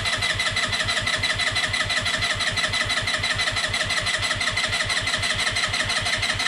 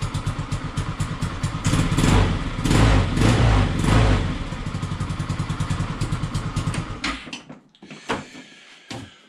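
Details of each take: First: Peugeot Django 125 scooter after a carburettor replacement: ignition on, brake held, no throttle, steady starter churning at about five pulses a second with no firing while the empty float bowl fills. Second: Peugeot Django 125 single-cylinder scooter after carburettor replacement for hard starting and poor running: even putter about four beats a second after starting, then tails off; runs cleanly, spot on.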